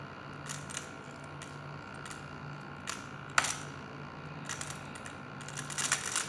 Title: MacBook Pro Scary Grinding Sounds